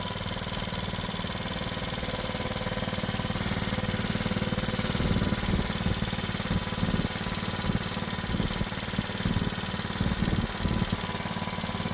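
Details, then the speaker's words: Old Craftsman riding mower, unknown history, after backing out carburetor idle screw: engine still racing at high idle with a light, regular top-end tapping over the exhaust; owner plans to check valve clearances, carburetor and governor; cause unconfirmed. "So, still running pretty high. Sounds like there's some tapping or something in there."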